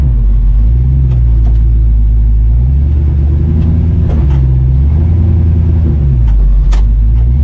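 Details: Stock Vortec Chevy 350 V8 with added camshaft and valve springs, which pinged on 87 octane, driven after adding four gallons of 93 octane: deep lumpy rumble rising and falling with throttle, no metallic pinging under load.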